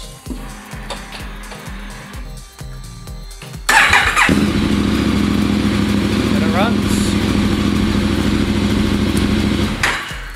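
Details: Motorcycle after fuel filter replacement (had stuttering and surging): short cranking, then steady even idle; starts and runs cleanly.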